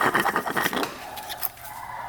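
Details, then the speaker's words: 2002 Polaris Scrambler 400 4x4 counterbalance shaft bearing turned by hand: gritty, uneven scraping; bearing is rusted, seized and shot, possibly from coolant seeping in. "That is really bad. It's just stuck in that bearing. Just rusted in."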